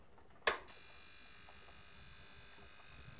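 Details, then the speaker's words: Vectrex vector-graphics video console from 1982, just after switch-on: click, then faint steady buzzing hum that never changes; typical and normal, because the audio channel sits right next to the high-voltage generation. "hört das typische Brummen der Vectrex. Das gehört so. Das liegt daran, dass die so blöd waren, dass sie den Audiokanal direkt neben dem neben der Hochspannungserzeugung haben."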